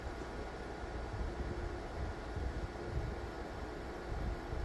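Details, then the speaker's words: Shinil SIM-M230WS ice maker after replacing the tray's AC motor: smooth low steady hum with no knocking or rattle as the pump lifts water and the compressor runs, getting the stainless evaporator cold; repair complete. "The pump is pulling the water up. Now, as the compressor turns, that stainless steel... It's getting really cold here."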